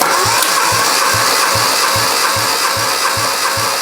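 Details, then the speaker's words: Spare 1300/1500 engine, first turnover test: steady starter cranking with even thumps about 2.5 per second and no misses; compression gauge reads about 90 psi, almost 100, considered acceptable. "now here you got 90 lbs of compression okay okay which isn't bad"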